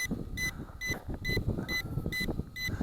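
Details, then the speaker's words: ATTOP W8 GPS drone in flight: short high beeps about twice a second over rotor buzz and wind. The cause is unclear, as the battery reads 39%, though that reading is doubted. "I am not sure why that's beeping because it says we got 39% power"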